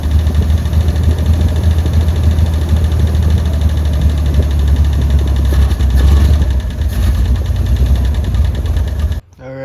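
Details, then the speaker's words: 1948 Pontiac Silver Streak straight-six, sat since early 90s, first start: lumbers unevenly at fast idle with faint irregular knock under the rumble; owner notes slight knocking, needs throttle to keep running, cause not yet found. "I mean you guys heard the footage it was knocking a little bit"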